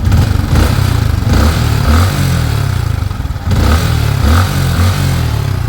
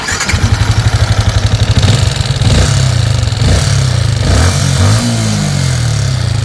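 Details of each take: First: Yamaha Sniper 155, 38,617 km, after clearing clogged oil passage: engine no longer noisy; revs rise and fall with a light clatter from vibrating loose body panels, engine itself healthy. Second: Yamaha Sniper 155 at 38,615 before repair: crank then revving idle with harsh loud top-end clatter from clogged oil passage starving the top end of oil.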